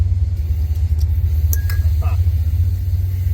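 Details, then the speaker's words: Nissan S12 with swapped SR20DET after installing a part from a V8 Expedition to address low power at higher rpm: a deep, even, smooth idle while warming up, with no misses or hunting. "Sounds like a smooth idle, so I'm just gonna give it a second to warm up a bit, and then I'm gonna give her a couple of revs, see if she sounds the way she did before."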